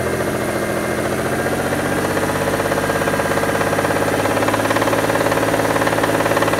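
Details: Mitsubishi Diamante 6G73 GDI, warmed up and revved in place. A fast, steady ticking knock rides over a busy mechanical clatter at idle and light revs. The owner wonders whether it needs an overhaul; the cause is unconfirmed.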